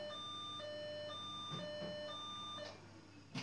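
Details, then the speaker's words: Old Fox computer system at power-on; repeating two-tone alternating beeps about three per second with no picture on screen, the board signalling a startup fault and not booting. "if you listen carefully you can hear the signs that there is a problem obviously as you can see it's not coming up on the screen either"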